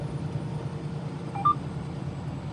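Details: Tractor-trailer cab on the highway in Nashville traffic during a lane change with the turn signal on: one short electronic buzz over steady road rumble. The side alert (blind spot) sensor is warning that a vehicle is alongside.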